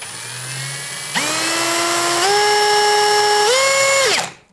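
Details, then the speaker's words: Litheli U20 cordless drill/driver: motor whine jumps straight to a fair speed instead of rising from zero, then climbs in distinct steps; trigger speed control is stepped, not variable like the compared Parkside. "Okay, also nicht stufenlos. Das müsst ihr einfach schon mal wissen."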